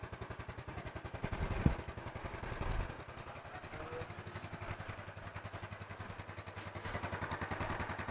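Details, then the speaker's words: Yamaha Mio Smile scooter engine just reassembled, started on first press; steady, even single-cylinder putter about three and a half beats a second, no misses or hunting, idle normal and stable. "Jadi, sudah selesai. Putaran mesin saat idle sekarang sudah normal, teman-teman. Oke. Putaran idle"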